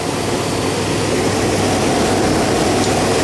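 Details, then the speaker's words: Dually truck: a steady even rumble with no misses, knocks or surges; the engine keeps running smoothly on its own. "ain't that a sweet sound ain't that a sweet sweet sound"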